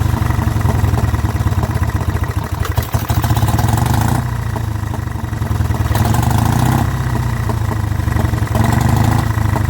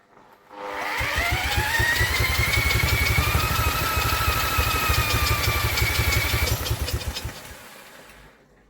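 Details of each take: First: Vintage Douglas engine, first run after 40 years under a hedge, following carb cleaning and mixture screw adjustment, running without a silencer or cooling tin work. It gives a steady low thrum with an even beat and no knocks or misses: normal running. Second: Vintage Douglas engine, 40 years under a hedge, carb jets recleaned, cold start cranked by electric drill: rising whir with quick puffs about four a second, catching briefly but not running; suspected flooding.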